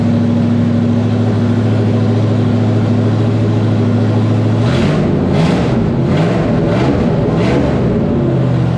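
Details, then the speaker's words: 1994 Terry Labonte Oldsmobile race car V8, after replacing bad spark plugs and plug wires (arcing wire, near-zero plug gap): steady even idle rumble, then clean rev rise and fall, no misfire or stumble; healthy idle and revving. "all right guys man that car sounds so much better my gosh what a difference it's running strong running smooth it sounds so good"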